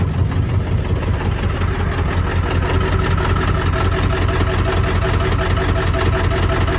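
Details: Ford 7.3 diesel with ZF6 transmission, 400,000 miles, cold start: hard starting, then deep steady diesel clatter at even idle.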